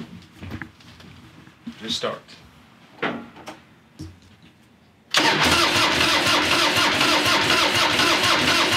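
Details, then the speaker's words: 1996 Harley Heritage Softail Nostalgia Evo V-twin, about 20,000 miles, sat in a garage for years, first start after cleaning a bad ground: clatter then abrupt firing into a strong steady run; vacuum petcock opened sooner than expected, normal start. "whoa I think it's gonna start it has to have vacuum to open up the petcock so I thought it was going to take it a while pumping it anyway I didn't think it'd start"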